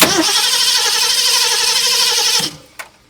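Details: 1969 Ford Mustang, sat 30+ years, fed from a portable gas can: steady cranking at about three turns a second with no firing. Fuel starvation, because the fuel hose looped and kept the carburettor dry.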